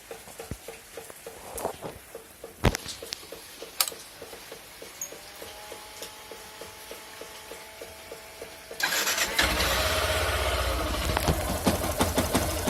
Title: Motor com Barulho Estranho